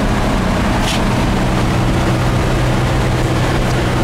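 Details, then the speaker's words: 1959 VW single cab on test drive after exhaust finished with baffled VW tailpipe and new heater boxes; steady low air-cooled drone with even road rumble, no knocks, ticks or whines, riding quiet and running healthy. "that sound all the guards are together it's burning all the crap off of the uh the new heater box that are on here and uh that's it she's a goer"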